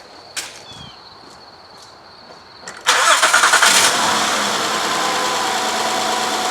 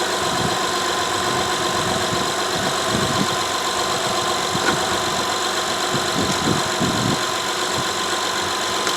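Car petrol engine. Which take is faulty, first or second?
first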